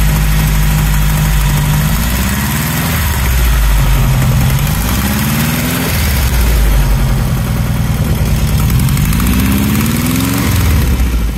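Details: Newly built 1680 cc dual-port air-cooled engine during break-in, blipped up then settling to idle: rough puffing beat from a big exhaust leak whose location can't be pinpointed.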